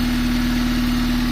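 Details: 1997 Honda Civic D16Y7 SOHC non-VTEC after replacing rod bearings for a rod knock apparently from very low oil: steady, even idle with a smooth low pulse and no knocking tap. Normal idle; the knock returned after a week of driving.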